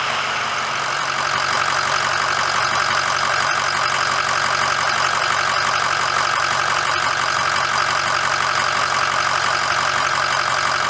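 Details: 2006 Ford F350 diesel idling after oil and fuel filter change and air bleeding: steady even clatter at constant speed, no misses or knocks; normal clean idle.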